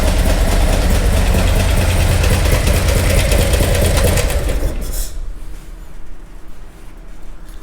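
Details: Harley-Davidson Milwaukee-Eight with a Screaming Eagle Stage 4 kit, in for a terrible engine noise: a fast, fairly even tick over a lumpy V-twin idle until shutdown, heard toward the rear and low; the mechanic's early guess is a rear exhaust lifter or broken valve spring.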